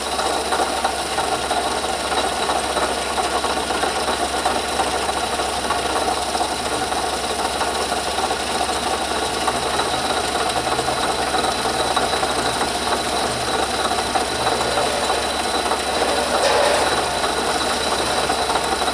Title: Bad Bearing In Water Pump Housing